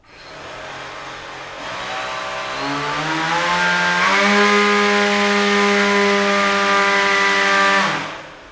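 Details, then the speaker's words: Beetleweight combat robot weapon belt drive after pulley redesign, belt at second-highest tension, zero to full power: clean tone climbing smoothly over about three seconds, holding steady without rattle or slapping; normal spin-up. "sounds really nice just for grins it feels pretty stable I'm gonna go from zero to full power just straight yeah that's pretty good so yeah this actually seems a lot better"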